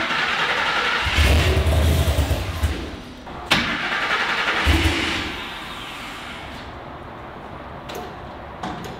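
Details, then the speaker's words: Griz the wrecker truck starting after reconnecting a disconnected fuel pump, idle settings possibly off; cranks, catches and settles into a steady, slightly uneven idle with a couple of blips, running normally. "hey it's started and it sounds good I like the way it sounds that's for sure"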